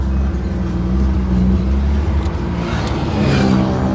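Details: BMW E36 323i with exhaust silencer removed (bypass), four people aboard on a road test: loud raw drone, steady low note climbing briefly as the throttle opens, even pulses with no knock; healthy six running normally.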